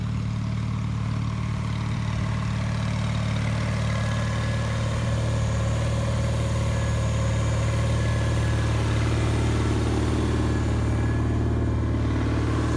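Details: 1974 Bolens HT20 garden tractor on test run after replacing a coil burned out when the ignition was left on after a stall (fuel issue suspected): steady low rumble, about three even firing pulses a second, no misses or knocks; healthy.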